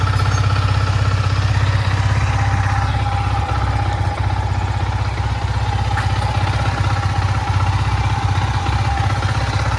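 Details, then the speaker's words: Yamaha MT-15 v1 after timing chain replacement and genuine oil filter, previously rattling badly: steady, even idle with smooth deep thrum, no ticking or top-end rattle; normal idle, noise fixed. "वह वाला problem चला गया। Sound एकदम मस्त पहले जैसा हो गया।"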